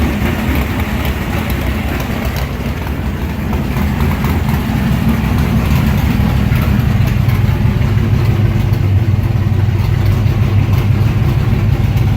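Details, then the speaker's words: Car with mechanical fuel injection, start after priming attempts: starts easily and idles right away with a deep, slightly lumpy but steady rumble, no stumbles or misfires. It will idle like that all day. "You notice how easily it started, and then it idled right away, and it'll idle like that the rest of the day."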